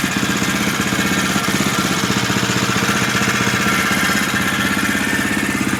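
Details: 2011 Husqvarna TE630 single-cylinder idling with a high whirring, blender-like whine over the thump, noise started at under 100 miles; owner asks if normal, source not pinned down; whirring engine noise.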